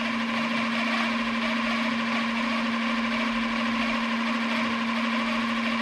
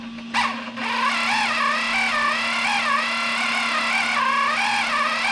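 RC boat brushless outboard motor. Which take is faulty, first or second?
second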